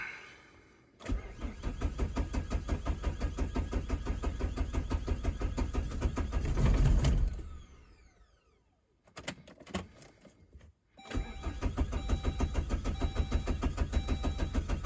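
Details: 2002 Saab 9-3 2.2 TiD diesel, first start after sitting four months: long steady cranking around three beats per second, a brief catch that dies, then more cranking; slow, hard start.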